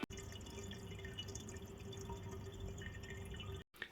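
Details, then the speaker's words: Red Sea Reefer Peninsula 500, 32mm plumbing, return pump on, overflow drain on the stock diaphragm valve: constant trickling gurgle with a faint hollow tone, drain gulping air because the valve can't be set finely; a precision gate valve fixes it. "When you do turn your return pump on, you'll want to completely close the gate valve, then open it a tiny bit and keep opening it slightly until the weir box runs silent."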